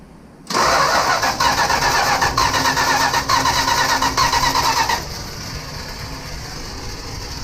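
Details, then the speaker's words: 1965 Plymouth Barracuda that sat for years: starter churns steadily for about four and a half seconds but never catches; something in the ignition wiring suspected shorted or miswired. "it ain't firing yeah it's it's got something in the ignition system that ain't wired right something something shorted out somewhere in this ignition system"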